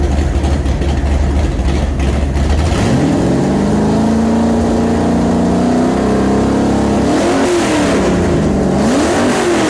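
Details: Newly built 427 Windsor Ford V8, 540 hp, roller cam, carburetted, for a 1965 Cobra, mixture screws adjusted and timing set: deep, even idle rising smoothly into clean rev blips and settling back, no misses or knocks; runs great.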